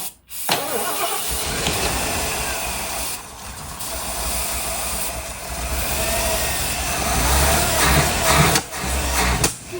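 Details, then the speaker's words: 1976 Ford Thunderbird big-block V8 (202 hp), long garage-stored, first start attempts kept alive by spraying starting fluid. It cranks and catches, runs rough with surges and pops back through the carburetor. The crew suspects ignition timing, possibly advanced; gas is in the filter. ">> Uh, it did, but then it backfired a little bit. >> Have to spray now. It's probably backfired because the timing."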